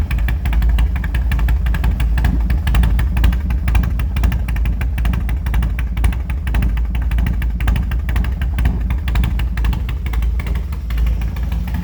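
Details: 2003 Harley Dyna Low Rider, a former non-runner with unknown cams, headwork and high-lift valve springs, restarted without choke: a deep, loping, steady V-twin idle. Normal idle.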